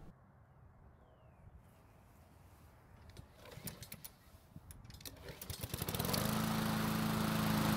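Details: Husqvarna mower started following a blade replacement: after some pulls the small engine catches quickly and runs at a steady, even buzz, a healthy restart.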